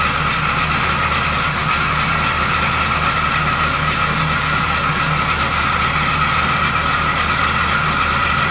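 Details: 1970 Chevy C10, 350 small block with replacement water pump, at idle: constant rubbing, whirring rotary noise over the engine, seemingly from the water pump pulley; stethoscope tool could not locate root cause.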